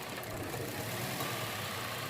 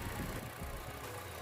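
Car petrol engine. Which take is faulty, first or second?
first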